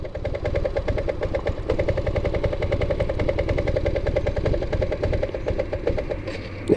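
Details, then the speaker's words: 1984 Yamaha Riva 180 scooter after carb rebuild, riding: single-cylinder putters unevenly, then falters and dies with a sharp noise, cutting out when turning and leaning; cause unknown. "it dies. So maybe I shouldn't be uh out on the road yet. I don't know what's happening when it when I turn and lean."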